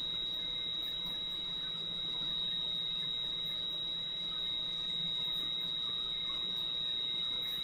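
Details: Valve grinder dressing the back of a valve head as it is run back and forth, with lubricant flowing: a steady, thin high-pitched squeal over a faint motor hum. Normal grinding, so the valve sits flusher on its seat for better compression.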